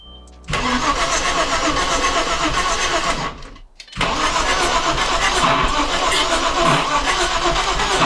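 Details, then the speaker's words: Audi B5 S4 first start after timing job and reassembly: long rough cranking sputters unevenly, then a pop and stumble as it tries to catch; backfire blamed on timing being off, fuel pressure present. "one timing's off [ __ ] that's what that backfire that was"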